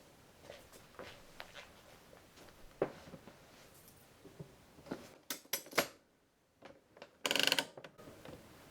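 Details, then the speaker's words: La-Z-Boy rocker recliner, ratcheting recline mechanism after repair with the spring reattached and the back reinstalled: sparse sharp metallic clicks and a few louder snaps as it steps through its notches; works normally. "And there we go. Works great."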